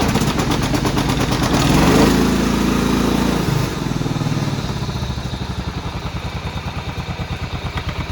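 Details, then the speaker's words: Cub Cadet rider's 16 hp horizontal-shaft Kohler, started cold for warm-up before an oil change: loud catch, then a steady, even putter of about four beats a second with no misses or knocks. Runs fine, just a little cold. "runs like a jam it's just a little cold let it run for a minute"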